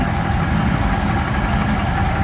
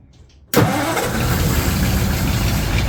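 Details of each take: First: 1936 Ford 1½-ton truck, 8BA flathead V8, first run after sitting in a barn for years, no fan fitted, warming up: even low idle rumble with no misses or knocks; firing on all eight. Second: 1936 Ford 1½-ton truck, 8BA flathead V8 converted to 12 V negative ground with Pertronix ignition, cranking after six years, choke pulled: steady cranking churn that never catches; mechanical fuel pump not drawing fuel, no start.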